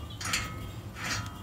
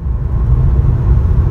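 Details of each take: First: 2013 Ford Taurus SEL V6, removed rear wheel hub assembly spun by hand: dry, gritty rasp each turn; worn rear wheel bearing causing a tractor-like noise while driving. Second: 2013 Ford Taurus SEL with the larger V6, test drive after a rear wheel hub bearing replacement: steady low road rumble at cruising speed with no tractor-like rattle or growl. Normal road noise; the old bearing was the cause.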